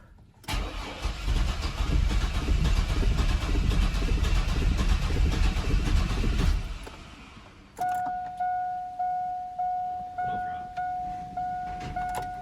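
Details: Chevrolet S10 unrun for 5 years, after a fuel tank swap, second start attempt with starting fluid: even starter cranking for about six seconds that never fires, then silence and a dash chime. Cranks but won't start; fuel supply is checked next.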